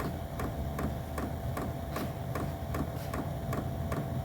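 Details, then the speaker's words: Vevor diesel heater started from the Bluetooth app after the setting was turned up; steady low fan rumble with the fuel pump ticking a bit over once a second, heater running normally and starting to blow. "so as you can see you click the this up but I don't hear a fuel pump yet there it goes so maybe that's it"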